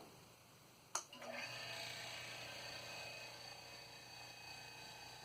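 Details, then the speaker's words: Old Philco Advanced Design refrigerator compressor start-up: relay click, then quiet steady hum with no rattle or struggle; normal start. "So let's see. We'll try to get the startup sound too. Here we go."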